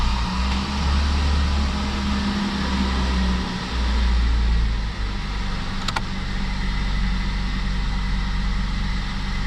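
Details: Mazda B-Series (Ford system) after cylinder head temperature sensor replacement and code erase: engine fires and settles into an even, steady idle with no miss or stumble; runs normally.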